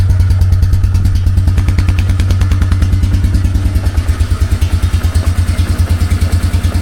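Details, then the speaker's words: 2004 Yamaha Wolverine ATV idling with choke off and a newly installed exhaust system, no exhaust leaks: even, low single-cylinder thumping about three a second, much quieter than before; normal idle. "yeah that is a huge difference definitely worth the investment there"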